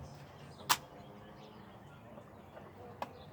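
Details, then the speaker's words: Polaroid 250 camera fired; one sharp snap and no second release click, so the shutter is not working. "Okay, so you'll only hear 1 click if it's not working. For example, if you didn't pull it all the way out."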